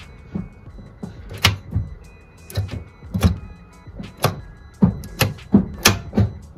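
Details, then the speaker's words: Citroen C-Zero electric car in for no-start, after cleaning, greasing and adjusting the rusted gear position sensor and selector linkage: crisp distinct clicks at each lever movement, about one per half second, music behind; selector now engaging properly, car then starts. "Все, в нас паркінг. Дуже чутно і гарно пере перемикається і щолкає."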